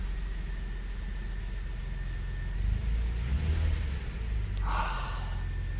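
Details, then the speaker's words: 2004 Lexus RX330 petrol V6 idling smoothly with a steady low rumble and no stumble or miss, right after a new coil pack fixed a cylinder 4 misfire; check engine light went off. "All right, here's nothing. Running like a champ."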